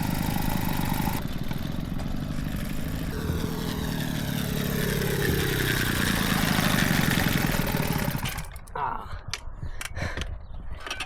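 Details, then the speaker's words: Peugeot 102 two-stroke moped after clutch reassembly, slightly smoky: buzzes and revs unevenly then note drops away; clutch now slips but still has a hard time stopping, slightly sticky, clutch drag. "Yeah, it's it still has a bit of little of uh a hard time stopping, but at least the clutch is slipping."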